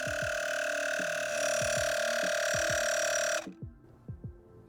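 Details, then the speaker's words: Etenwolf S1 portable tire inflator filling a tire (non-stock wheels) to 36 PSI: a steady buzzing drone with a high whine that slows near 36 PSI, then cuts off cleanly at the set pressure; normal operation. "You can hear it slow down as it gets close to 36 PSI."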